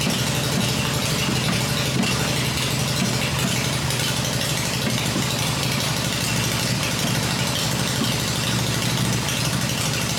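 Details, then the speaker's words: Freshly rebuilt black Harley Evo V-twin motor idling on an engine test stand with open exhaust: steady, even idle with full exhaust rumble, no knocks or misses; running the way it should. "well there she's running done and we're glad to hear it running here and that's the way it should be so I'm pretty pleased with that"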